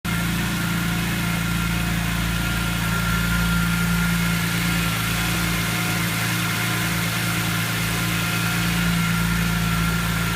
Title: Rough Idle First 90-120 seconds after start